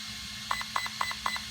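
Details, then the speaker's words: Hobbywing EZRUN SC8 RTR 120A ESC in a JLB Cheetah, programmed with its built-in button: four short, evenly spaced high beeps signal programming category four (punch), currently at level five, before being raised to level nine. "category four and then i leg over the bun so now i'm in category four and it's making one long beef indicating that it's at level five"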